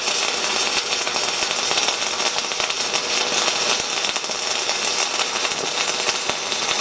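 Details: SIP Autoplus Mini 130 synergic inverter welder stick welding a 3.2 mm 6013 rod at 110 A: steady, even bacon-frying crackle with no pops or stutters; stable, well-running arc, normal.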